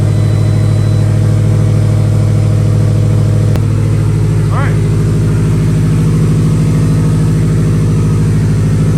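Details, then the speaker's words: 2016 Subaru WRX STI, freshly started on a jump pack: a lumpy, uneven rumble with two or three stumbles a second. Misfire from low compression in cylinder two. "when it's warm it's just rumbling uh it sounds it sounds like it's missing honestly but you could you mistaken it for a cam if you wanted to"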